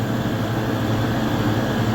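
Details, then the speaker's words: Replacement three-phase farm compressor, larger than the old unit, first start after failure: a steady, even low hum settles in at once with no knocking or rattling. Smooth, healthy startup. "Oh, that sounded really good. That was a smooth startup."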